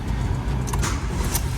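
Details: 1L EcoBoost Fiesta three-cylinder wet-belt car that came in with oil light staying on, after repair: even, smooth low idle hum with no knocks, ticks or rattles, oil light goes straight out, healthy.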